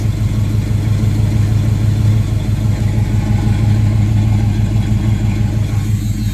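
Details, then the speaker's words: 1976 Chevrolet Camaro, rebuilt Holley 4-barrel carburetor with electric choke, after high choke idle drops once warm: steady, even low rumble at settled warm idle with no misses, knocks or hunting; idles as it should. "until it got warm enough to hold its own there we go that's how it should sound"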